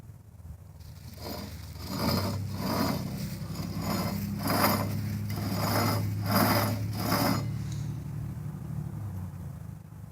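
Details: Dodge Ram 1500 wheel bearing/hub (no-sensor type) with a rough, pulsing growl repeating two to three times a second as the hub turns: bad wheel bearing.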